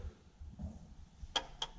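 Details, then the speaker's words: Cadillac XLR Northstar V8 with a P0024 code, engine off: reinstalled electromagnetic cam actuator bench-tested by jumper wire to battery positive; three crisp, clean clicks, the actuator working normally. "we've got the actuator working there as well"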